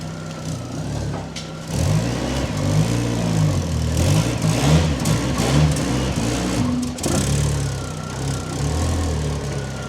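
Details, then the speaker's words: Fiat Panda after rear exhaust box replaced: uneven lumpy idle stumbling now and then with raspy puffing at the front; sounds slightly better but misfire and front exhaust leak remain. "As you can hear, it sounds a little bit better, but we've now got to contend with the misfire [music] and the exhaust at the front."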